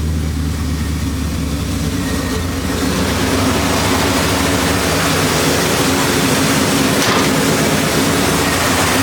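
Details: 1973 Impala 406 small-block Chevy V8 after replacing a collapsed lifter and fitting 2-piece guide plates on aluminum AFR heads, total timing about 36°. Smooth, even idle on all 8 cylinders while still warming up. No lifter tapping from the top end.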